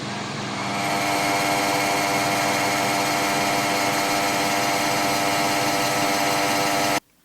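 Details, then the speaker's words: Ninja Foodi OP500UK (OP500UKDB): harsh, steady buzzing rattle over the fan hum, traced to a loose retaining bracket holding the heating element; fix attempted by tightening the bracket with a G-clamp. "see later in the video that i tracked it down to one of the retaining brackets for the the boiler the heating element whatever you whatever you want to call it"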